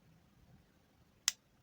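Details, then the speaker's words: Refrigerator defrost timer turned by hand counterclockwise in a quiet room: a couple of sharp mechanical clicks as it steps between contact positions, with the "krek" marking the move to position one. Operation is normal. "Pi perbedaan suara saja dari mulai ketik ketik ketik ketik ketik itu ya itu ada bunyi krek itu adalah lagi posisi ke posisi satu"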